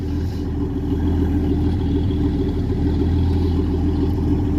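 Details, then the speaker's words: Classic Ford with a carbureted engine just after a hard cold start: a smooth, even low hum with a steady firing beat and no ticks or misses; running well. "she just sounds the business. And honestly, I love it."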